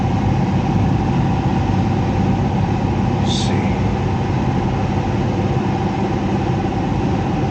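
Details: Heat pump with electric heat, top panel removed: loud constant churning rumble with a fixed hum; the blower fan wheel is damaged and cannot be removed without ripping the whole unit apart.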